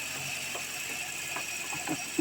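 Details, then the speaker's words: Hyundai Sonata, not started in a while, jump-started, cold start idle: irregular light rattling clicks over a thin steady high squeak that goes away once warm; belt tensioner and tensioner pulley suspected and later replaced. "okay so this car has a squeaking noise like a rattling sound noise so it hasn't been cranked up in a while so it needs to jump got the jump box hooked to it I'm gonna crank it up and you can hear the noise that it makes"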